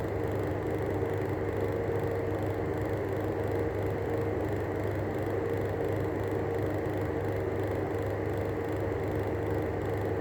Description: The bearings are stuffed in this fan